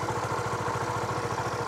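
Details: Honda Supra GTR150, K56 DOHC engine, 5 years old, 58,106 odometer, tensioner, clutch lining and TPS replaced; quick even pulsing idle with light mechanical chatter, no knocking or misfire; engine still fresh-sounding; normal idle.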